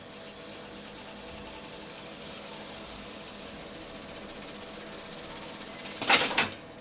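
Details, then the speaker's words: Sony TC-755 reel-to-reel tape recorder, just serviced, in fast forward and rewind: an even hiss with a quick regular ticking, about three or four a second, as the reels spin. Fast wind sounds healthy. "Oh, I was going to show you fast forward, rewind, I look at that."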